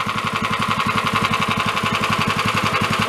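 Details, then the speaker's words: 13 hp Honda-clone go-kart engine, warming up after a valve adjustment: a steady idle with a sharp, regular knock of about 220 per minute that grows louder. Cause unknown. "it is yeah it's getting louder too bad it would sound awesome it wasn't making that noise"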